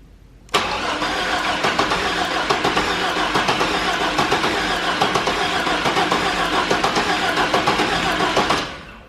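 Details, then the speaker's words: 1998 GMC Sonoma 4.3 Vortec V6, freshly swapped replacement engine, first start attempt: starter cranks evenly (~4 turns/sec) but engine never catches; distributor set by owner, suspected of being incorrectly indexed, causing crank-no-start. "engine's turning over so the starter's working which is one of my main concerns"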